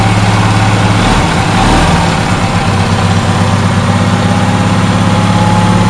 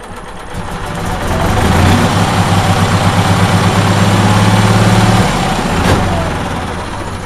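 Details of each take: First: Onan twin engine after repair: the fuel-pump-side cylinder wasn't firing because a loose spark plug was losing compression. Once tightened, it settles into a smooth, even low thrum with no missing pulses, both cylinders firing properly. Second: Onan generator with no 12 V charging circuit, run from a jumper pack; with the positive unhooked, the starter chugs rapidly for a few seconds, slows and stops without catching; owner suspects the battery lacks charge.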